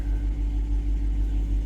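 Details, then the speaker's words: 2022 Dodge Durango R/T V8 idling after a DIY swap replacing a blown engine: deep, even rumble with steady low pulse, no knocks or ticks; a tick on early starts went away by about the third start, thought to be oil pressure building. "Sounds good and smooth. There was a tick. That tick went away after probably the third time I started it."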